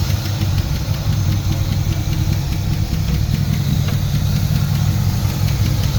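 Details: Turbo Trans Am during break-in after partial overhaul (new cam, new turbo, valves set to zero lash). After about 15 minutes, a loud, uneven stumbling idle with quick light ticking and misfires. Excess valve play was later found; hydraulic lifter suspected, cause unclear.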